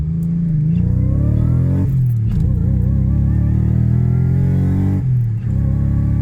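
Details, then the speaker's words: Subaru Legacy with a junkyard Eaton M90 supercharger (originally from GM cars), first drive after the fueling was sorted: strong, even engine drone rising through the gears with a faint climbing whine; runs clean but only makes 3 psi of boost. "that sounds awesome doesn't it one minor issue it's only making 3 lbs a boost"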